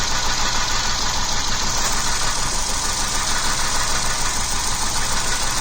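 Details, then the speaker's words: 2009 Jeep Wrangler Unlimited Sahara petrol V6 at idle, code P0302: uneven lumpy beat and vibration from cylinder 2 misfire, no spark; before spark plug and ignition coil replacement. "it was giving a p0302 error and engine was vibrating it was not running well"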